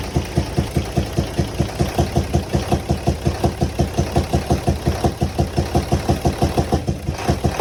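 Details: UD (Nissan MK) truck with six-cylinder 24-valve FE6 diesel idling, loud regular chuffing pulse from the intake/air-filter side; valve train fault traced to faulty camshaft and valve seals.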